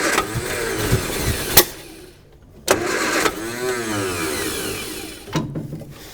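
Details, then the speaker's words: 1955 Hudson Metropolitan barn find, dormant 28 years, rebuilt distributor with spark, new coil: starter winds engine in short whirring bursts but never fires; no-start from fuel starvation, starting spray used. "okay so from this we're going to know that uh we're going to know that it's not getting fuel right because uh look at it that just ran"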